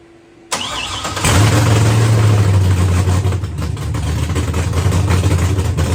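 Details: First start after the ECM was fully rewritten to remove the vehicle anti-theft system: a brief crank, then it catches cleanly and settles into a deep, steady, even idle with no misses or knocks. Normal start and idle.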